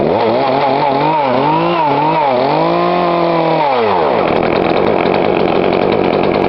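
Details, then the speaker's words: Poulan Pro 42cc chainsaw, after adjusting the carb low screw: crisp blips, then a strong steady high-speed scream. Runs clean. "There you go, guys. Light it like a charm."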